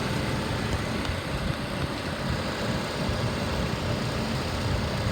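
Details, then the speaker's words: 2014 Infiniti QX70, rebuilt title, stolen-recovery with parts missing, 18,000 miles, automatic engages, AC blowing cold: smooth, quiet idle with steady low hum, no knocks, ticks or misfires; normal idle. "And the automatic transmission engages, the AC blows cold, and the motor sounds good. This car only has 18,000 miles. Very low miles."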